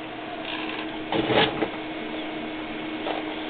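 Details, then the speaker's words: IBM PowerServer 230 powered on, HP drive spinning up: low steady whir with a brief swell of clicks and rustle in a small room; normal hard drive spin-up. "as you can hear the HP Drive is doing something that's spinning up"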